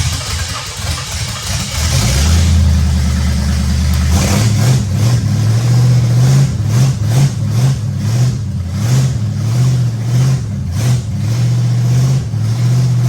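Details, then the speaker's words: Ford 390 FE big-block V8 first fire-up after new distributor ignition module and timing set, camshaft break-in; short cranking then strong, even high idle with smooth blips; normal start and high idle. "all right there it is engine went through its break-in cycle"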